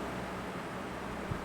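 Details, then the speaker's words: Early-2000s Lasko 3515 Air Companion fan, dusty motor: soft steady airy rush with a faint low hum, no rattle, tick or bearing whine, very quiet and strong; normal running. "It's very quiet and it's very strong."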